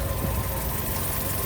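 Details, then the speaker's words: Fiat 500 1.2 petrol, 95,000 miles, 5-speed, idling: constant breathy hiss over low rumble, leak traced to the exhaust manifold gasket, to be taken apart and fixed. Exhaust manifold leak. "there's an exhaust blow we've just figured out what it is sounds like a a bath"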